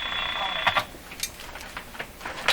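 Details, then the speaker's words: Canadian Westinghouse Model 512 tube radio on the broadcast band after old cracked wires were replaced: irregular sharp clicks and pops over a faint hiss. Clicking interference of unknown source; one suggestion blamed a nearby device, but it sounded no different when tested. "there was a suggestion that the interference I'm hearing the clicking type interference it's actually coming from this thing"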